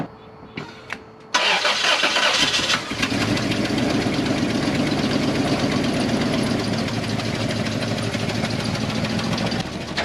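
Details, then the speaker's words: 1995 Toyota 4Runner (second gen), not run in about three years, number one cylinder suspected dead; catches and stumbles at an uneven idle with a recurring miss. Cylinder one sparks but is dead from low compression. "second shot that exhausted well definitely number one it's sparking but it's not changing nothing"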